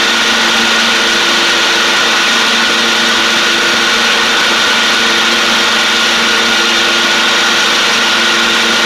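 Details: John Deere D140 riding mower, once blowing fuses, with basically new spindles: a steady, high-pitched deck whir over the engine with no squeal or grinding. The spindles are loud but sound better and quieter; normal mower deck running.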